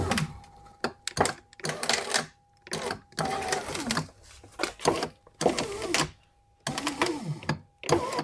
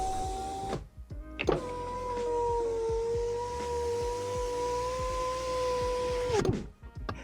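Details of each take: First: 2011 Mercedes E-Class door window regulator, door panel off: short bursts of strained grinding motor noise as the window is run; motor spins but won't drive the glass up, owner suspects a broken cable end. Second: 2011 Mercedes E-Class power window after window regulator replacement: the motor gives a smooth, steady hum for about five seconds with no grinding, clicking or catching; normal operation.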